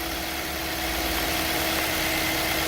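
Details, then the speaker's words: Toyota Corolla 2013 1.8 16v flex with CNG, after replacing the alternator's seized fixed pulley that made a noise on acceleration: smooth even idle, no chirp, squeal or rattle from the belt drive. "nov marcha lenta barulho nenhum instalou agora"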